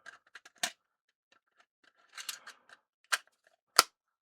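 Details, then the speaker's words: Untested MiniDisc recorder from an eBay joblot (Sony MZ-R55 and Sharp MD-MT80 in the lot), filthy: sparse, irregular clicks and ticks as it seeks without settling to play, struggling to read the disc. Owner suspects a dirty laser lens, or possibly the disc itself. "Yeah, it's struggling to read that disc. I mean, it could possibly be the actual disc, you just don't know."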